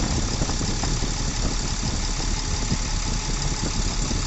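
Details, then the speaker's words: Tata Cummins BS4 truck diesel, after repair for tak-tak engine noise, heavy vibration and no pickup: deep, steady idle with an even beat and no tapping from the top end; the sound is now sweet and healthy. "थे sound एकदम बदल चुका है sound मीठा हो चुका है"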